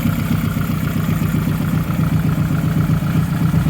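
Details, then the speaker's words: Nissan Pulsar GTiR first start in seven years after new valve cover gaskets, not yet warmed up, no load: deep idle with uneven, loping beat; no tapping but lumpy, owners suspect timing, long disuse and injectors needing running in. "it's not tapping anymore it's not happy it's a bit lumpy but that's probably the timing yeah and the fact that hasn't been run in such a long time"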